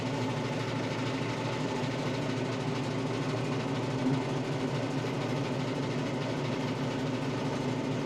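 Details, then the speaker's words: Tractor driving a Baumalight 3P38 three-point PTO stump grinder on a roughly 30-inch stump; steady even drone under load with no surging, bogging or rhythmic knock; normal operation. "this has been a fantastic experience using this so far very very powerful very convenient"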